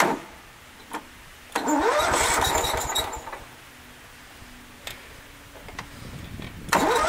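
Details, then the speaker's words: 2004 Country Clipper Jazee mower, startup: short crank, catches with a quick rev, a little squeaky, then settles to a quiet even idle; normal start and idle. "a little squeaky have a fully sounds good"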